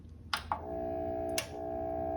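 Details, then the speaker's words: Onkyo AV receiver, not connected to speakers: a couple of switch clicks, then a steady mid-pitched electrical hum from the receiver itself, caused by electromagnetic interference. "That hum is coming directly out of this receiver. In fact, this receiver isn't even connected to speakers because I'm trying to demonstrate a problem."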